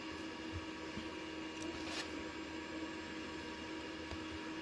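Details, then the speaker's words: Deye 10 kW three-phase inverter after a firmware update fixed its grid-dropping relay fault: steady low electrical hum with a fine tone near 300 Hz and no relay clicks; running normally on grid. "Дивіться, все те саме, але тепер вже працює і нічого не клацає. Тобто мережу не відключає міську, як це було раніше."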